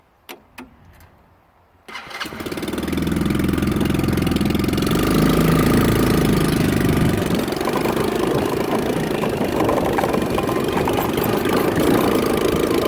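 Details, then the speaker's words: Hammerhead 110cc Chinese go-kart, sat almost a year, after new drive sprocket, battery, carburetor cleaning and lubrication, on road test with a 175 lb rider: catches after a few pulls, then steady, even drone under road load, no knocks or misses; normal running. "It's quick. It rides really smooth."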